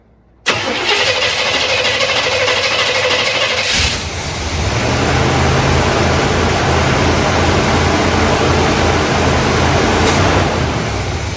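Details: 1972 Buick GS Stage 1 SunCoupe, sat about 6 years: long cranking about three seconds, then loping, uneven idle that won't stay running when idle is turned down; air cleaner fitting missing, neutral safety switch bad.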